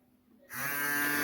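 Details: Cooler motor converted into a 12 V-to-220 V AC generator, powered from a 12 V battery and lighting an LED. Silence, then a sudden steady electric hum with a clean high whine that holds even: it spins up and runs normally.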